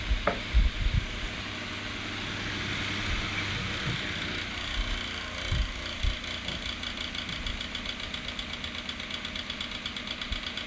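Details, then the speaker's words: HP 9.9-inch high velocity electric fan running: ragged, uneven rattle over airflow hiss from worn, cheap motor bearings. The fan still works. "it it sounds raggedy because the bearings are bad but at least it still works"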